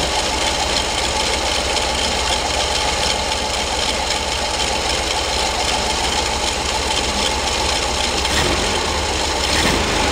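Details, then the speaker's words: 1974 VW Karmann Ghia, rebuilt 1600 dual-port, dual Weber 32 carbs, Bosch alternator, idling with a faint steady whir in the clatter; owner suspects alternator bearing, not confirmed. "kind of sounds like I have a little bit of a bearing uh problem in that alternator can you hear that"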